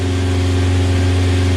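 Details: 1994 Geo Tracker with a swapped 2.0 engine, first start after wiring, no check-engine lights: smooth, even drone at a raised idle with a steady low hum and no knocks or misfires. Afterwards smoke and a gasoline leak.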